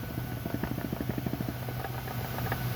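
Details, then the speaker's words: Dodge Neon SRT4 gearbox during a clutch change, input shaft turned by hand giving a gritty, uneven clicking rattle, with scoring noted: worn input shaft bearing. "shaft bearing is not input shaft bearing and that's not good either"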